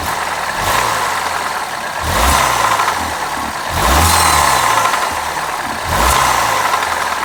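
Engine blipped up roughly every two seconds, with an odd rough note under the revs; the cause can't be pinned down by ear.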